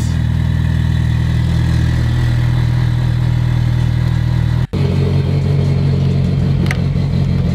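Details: Mitsubishi Evo started in midwinter with a jump starter after sitting, ECU reset clicks heard before cranking: a low, steady hum settling into an even idle with no knocks, misses or rattles. Running healthy.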